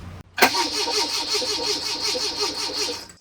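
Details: 1981 Fiat X1/9 converted from EFI to dual Weber carburetors, first start attempts with fuel rail leaking slightly: about three seconds of steady, even starter cranking with whirring pulse, engine never catches; crank no-start.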